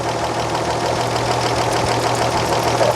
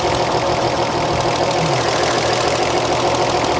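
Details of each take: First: 1938 Chevrolet Coupe inline-six, running with the valve cover off: a steady idle with a light, quick tick in time with the engine; the intake valve lash measures loose against the 0.007 in spec. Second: 1938 Chevrolet engine, warm and running during valve lash adjustment, exhaust set at 0.014 in: light, even valve tick at a steady rate with no extra clatter; valves sound correctly adjusted.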